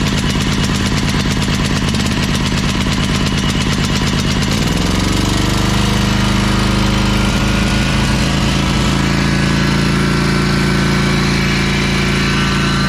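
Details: Ferris 52-inch walk-behind commercial hydro mower, twin-cylinder, smoking, now running on both cylinders after a spark plug fix: lumpy, then a steadier but ragged drone, lacking power under load. Cause was a bad carb o-ring blocking a fuel jet.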